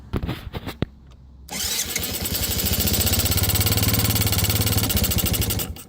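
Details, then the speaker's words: 1985 Yamaha Moto 4 80cc ATV on fresh fuel, carburetor not yet cleaned: a few cranks, then it catches and chugs unevenly about three seconds on choke before dying; rough, choke-dependent running, owner blames carburetion and plans ultrasonic carb cleaning. "That's running right there. All right. Hey, look at that. We have a runner. Not great, but it ran. On choke."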